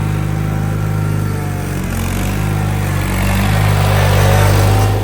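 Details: John Deere 316 tractor after throttle cable repair: small engine settles into steady, even low chug with slight rise in speed near the end; runs smoothly.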